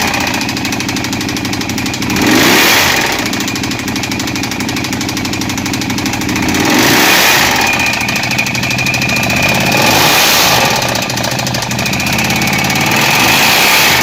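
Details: 2012 Ducati 848 twin idling with revs: dense clattery metallic ticking and faint whistle; knocking, cause unknown.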